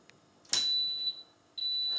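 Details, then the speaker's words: Washing machine after replacing capacitors and diodes on the power supply board: two clean high-pitched beeps a second apart on power-up, no buzzing or clicking; normal power-on beep. "That is totally normal. That's what it's supposed to sound like."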